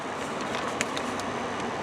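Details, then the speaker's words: Toyota Tacoma with a no-air-from-vents complaint, after diagnosis: blower motor now running on medium to high with a steady, even airy rush and no squeal, rattle or ticking; normal blower operation. "as you can hear in the video is the motor running right now yeah and put in high"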